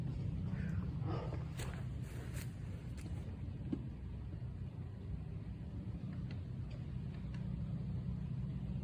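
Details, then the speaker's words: Volvo S80 T6: deep, uneven rumble with an irregular stumble, check engine light on, really shaky; the engine is misfiring and running rough. "Check engine light came on. It's really shaky."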